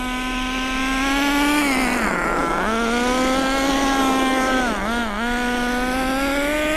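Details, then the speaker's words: Nitro RC car during break-in, driven at no more than half throttle over two tanks: sharp, high buzzing note climbs and dips with throttle, crisp and steady without misses, as power picks up. Normal running. "Look at the power now. We're serious power. We're getting some serious power going on now."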